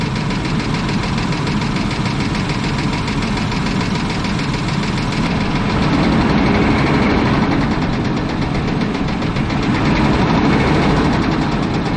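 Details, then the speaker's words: 1996 Chevrolet Blazer LS, shut down on the interstate when it started knocking: steady idle with an uneven knock about three per second, persisting through small throttle blips; owner suspects rod knock in the bottom end, unconfirmed. "well I'm no expert and I have no idea what I'm doing sounds like a rod knock to me I don't know luckily the kid understands when they start making noise it's not a good thing so he cut it off the interstate and shut her down"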